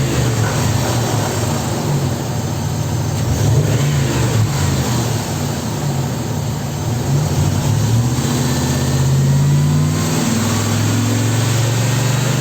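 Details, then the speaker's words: 2002 Dodge Ram V8 after fixing a cylinder misfire caused by water in the spark-plug and coil wells on one bank from an engine wash; starts and revs smoothly with deep even rumble, no misfire, check-engine light no longer flashing. "La luz de check engine ya no parpadea."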